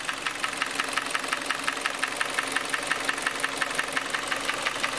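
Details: 2014 Kia Cerato 2.0L, 166,531 km, hood open at idle: sharp regular knock about three times a second, described as ringing; engine burns oil.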